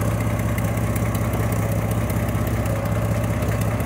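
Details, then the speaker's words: 1995 Mercury Villager, engine misfires once warm, car raised and heard from underneath near the oxygen sensor: steady idle with fast ragged puffing ticks about four a second; exhaust leak. "además de que trae una fuga en el escape se escuchan"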